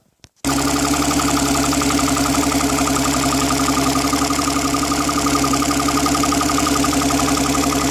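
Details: Mercury 135 OptiMax outboard after repair, started outside in the cold: fires at once and settles into a smooth, even run with no stumbles, misses or knocks; healthy.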